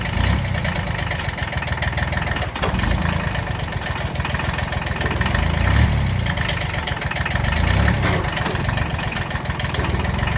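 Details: Kubota B6100 tractor diesel idling in gear with the clutch pedal down; a faint high rasping whir rides over the idle and goes away in neutral, from a worn pilot bushing in the clutch.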